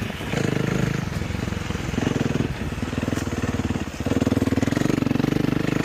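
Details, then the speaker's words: Warmed-up 2012 KTM 350 EXC-F four-stroke single after a test ride, restarted: crisp, even firing through several quick throttle blips, revs rising and settling cleanly; starts well and runs healthy. "So, it's warmed up now. We'll start it up again. To me, that starts up pretty good. Sounds pretty good. Can't really complain."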